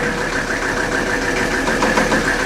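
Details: 1984 Mercedes-Benz 300D turbo diesel, previously seized and abandoned, running after bleeding the injector lines; loud, uneven diesel clatter at idle with heavy shaking, rough idle, cause not yet found; engine also won't shut off with the key.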